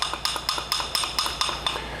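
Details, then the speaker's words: BMW X5 suspension noise, main arm removed and shaken by hand on the bench: sharp metallic knocks about four a second from a very loose ball joint; worn ball joint with play, which makes noise. "Então como pivô tá com muito mole faz barulho também"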